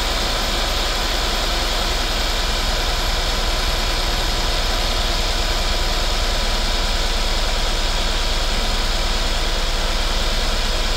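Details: 2016 Mercedes-Benz S550 W222 after spark plug and ignition coil service: uneven low thumping idle with irregular beats under a loud hiss; misfires because the coil connectors were left unplugged.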